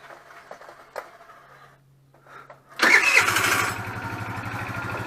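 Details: Nearly new GY6 4-stroke scooter, about 900 km, after valve clearance adjustment raised compression from 3 to 8 bar: starter catches and engine fires promptly, settling into an even, steady idle with a regular beat.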